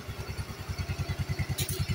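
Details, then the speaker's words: Yamaha Soul GT 125 scooter, over five years old, that ran hot and rough from a weak oil pump. Restarted after the oil pump repair, it idles with a steady, even low putter of about eight beats a second, no rattle or misses, and no more smoke. "Setelah itu kita akan cek Nyalakan kembali kita I kita kyalakan lihat sudah nyala dan suaranya sudah Hadam ya kita akan cek"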